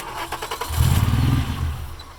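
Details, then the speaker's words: VR6 engine swap, started with clutch switch cable bypassed and a vacuum line reconnected: several cranking beats, catches with deep rumble under a second then dies; owners suspect car angle and low fuel starving the engine. "So we're at the gas station right now because we think that the problem is the car, the angle it's at, and the amount of fuel that's in there. It's not reaching the engine properly."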